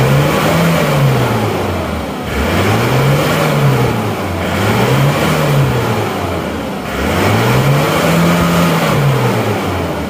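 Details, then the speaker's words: Diesel (a Penta brought from Tulungagung, road-tested about 60 km, no oil leaks found) revved repeatedly up to the redline, rising and falling cleanly with no knocks; revving still puts out some smoke, normal diesel character, healthy free revving. "tapi kalau digeber kalau gasnya kita geber itu akan tetap mengeluarkan asap kalau mesin diesel itu"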